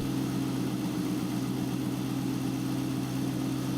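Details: 2000 C5 Corvette that had a chirping noise, now running briefly with the serpentine belt removed: a steady, even idle hum with no chirp or squeal. The chirp is gone without the belt. Normal idle.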